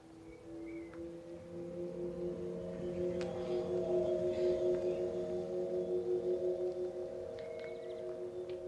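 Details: MG ZS EV pedestrian alert sounder heard from a tripod microphone set at sounder height as the car approaches and pulls up; a soft layered hum with steady tones and a faint pulse grows louder. The sounder is working.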